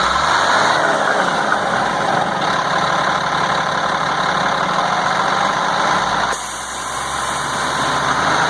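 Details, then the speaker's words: 1998 GMC C8500, Caterpillar 3116E diesel, valve cover off; free revving to 3500–4000 rpm, clatter steady, dips, picks back up cleanly, no miss or flutter, restarts without hesitation; repaired and healthy. "well I'm going to have to tell you I'm pretty happy with that there's no engine Miss there's no flutter and uh it starts right back up no hesitation"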